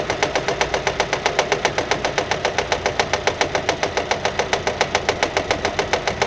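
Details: Nissan at steady idle with sharp, even slaps three to four a second; engine found fault-free, noise came from a fraying alternator belt striking the metal body while turning.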